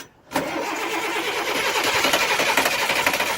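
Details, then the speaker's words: International 7400 truck with DT530 diesel that ran yesterday: steady starter churn about four beats a second, never firing, crank no-start. "ran yesterday so it's not gonna start"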